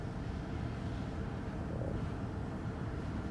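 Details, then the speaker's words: 2023 Nissan Altima that stalled while driving and at start (code P0101), after cleaning the dirty MAF sensor: even, steady idle with AC on, no surging or dips; stable with no trouble codes. "Okay, stable na siya. At wala na rin siyang trouble code. Kaya hindi na siya kagaya kanina na gumaganon-ganon yung RPM niya."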